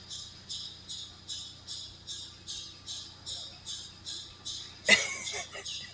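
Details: Vehicle with overheating complaint, at idle: sharp high chirp repeating about every half second; water pump suspected, not confirmed.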